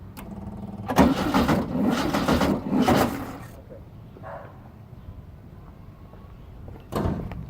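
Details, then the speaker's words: 1600cc VW Beetle with newly fitted Suzuki 1986 Samurai 1.4L-based distributor, clamp bolt loose, first start: cranks, catches with ragged uneven burst for a couple of seconds, then falters; firing badly off, owner suspects wrong firing order. "it definitely is firing. It's firing way off. So we've probably dicked the firing order."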